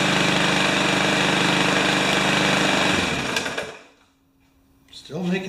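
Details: Remington mower with Powermore engine: small engine runs with a fast, busy rattle over its firing beat, then dies and restarts; rattle seems internal, owner wonders if the ignition coil is too close, cause unclear.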